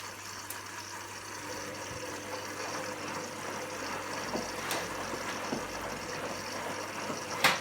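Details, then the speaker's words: Candy GVS169D3/1-80 Grand O Vita 9 kg washer after replacing the failed motor-control triac (error E09), rapid wash at 30 degrees: quiet hiss of water filling with occasional soft drum clunks, no grinding; normal rinse fill and drain. "new triac let's see there's the water coming in it's pumping some"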